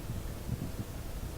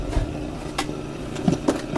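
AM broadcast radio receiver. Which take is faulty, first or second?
second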